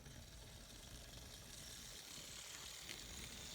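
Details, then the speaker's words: N scale Atlas SD35 Penn Central locomotive on the track after a rebuild: faint, even high-pitched motor whir with a little gear chatter, still slightly noisy but acceptable, normal running. "So it runs pretty good. Still a little noisy,"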